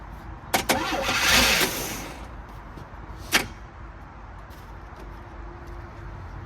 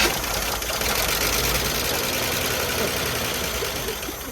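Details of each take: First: 1978 Chevy Malibu with a small V6, parked in 2002 and fitted with some new parts, gives a few sharp cranking bursts, fires right off and settles into a quiet, fairly even idle. Normal start, though the fuel pump is squirting fuel and hose clamps are missing. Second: 1978 Chevy Malibu V6, sitting since 2002, started on fuel squirted into the carburetor bowl: roars steadily then tapers off as it starves; runs briefly on primed fuel, fuel delivery from the tank suspect.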